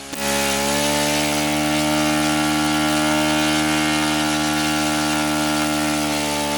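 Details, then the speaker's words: OS FS-91 Surpass four-stroke nitro RC engine, warmed up, at full throttle: high-pitched buzz climbs as the high-end needle is turned in, then sags when leaned past peak; lean mixture, needle backed off to a safe rich setting. "and now it sags and back it off to a rich a safe rich setting so"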